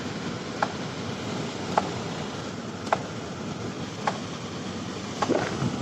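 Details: 2005 Ford Explorer with no heat, engine off: light, sharp clicks about once a second from the heater/AC blend door actuator skipping its gears.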